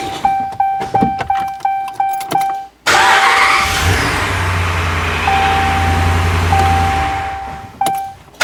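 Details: 2014 Ram 1500 4x4 5.7 Hemi after replacing starter with corroded motor terminal for no-crank: chimes tick, starter spins briefly, V8 fires right up and settles to even idle; normal crank and start.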